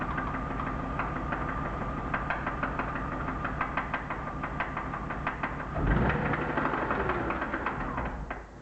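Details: BMW E36 323i, M52B25, 140,000 km, at idle: steady light knock about three per second, unchanged as coil plugs are pulled one by one; suspected connecting-rod bearing damage now in doubt, source unknown.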